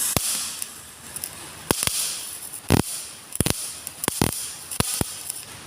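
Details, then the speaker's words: GMAW MIG/MAG welder at the same voltage with wire feed speed lowered: sparse, uneven pops and spits with quiet gaps, like water drops ("blub blub"), with less weld deposit because the wire feed is too slow. "dan secara suara dia akan seperti tetesan air, jadi blub blub blub kayak gitu. Kita dengarkan ini suaranya ketika wire itu kurang atau minta ditambah kecepatannya."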